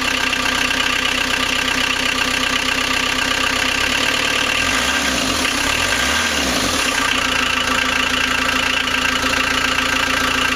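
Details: First start of a rebuilt 1.9L AAZ turbodiesel swapped into a 1986 VW Vanagon Syncro, after bleeding injectors and with temporary glow plug power and the cold-start cable pulled; steady, even diesel clatter at a settled idle, no misses.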